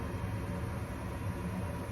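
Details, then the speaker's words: Gas furnace on newly installed A2L R32 split system, startup after gas valve pressure adjustment: draft inducer fan running, hot surface igniter glowing, burners lit; steady low rumble with soft fan hum, no pulsing, normal operation. "Looking good. Everything sounds good. Looks normal."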